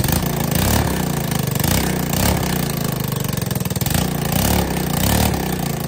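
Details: ATK 125 go-kart, small single loping with a homemade welded muffler: sharp, raspy popping on every firing pulse that the muffler isn't taming; back pressure pushes fumes out an exhaust leak, and the owner expects it quieter once fixed.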